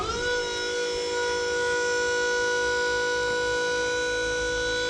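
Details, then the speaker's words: DIY $30 wireless remote wired to the solenoid of a dump trailer's 12V hydraulic pump motor: steady, even motor whine at one pitch as the pump runs; working normally. "Okay, I got it backwards, so that's supposed to be up, but I can hear that it's down"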